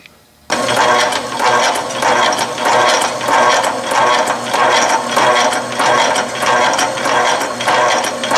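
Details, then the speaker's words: Atlas/Rhodes metal shaper with Whitworth quick-return mechanism, set for a long stroke: steady gear-and-ratchet clatter every ~two-thirds second per ram cycle, return faster than forward cutting stroke; even, healthy operation. "you see that the return is faster than the forward cutting stroke"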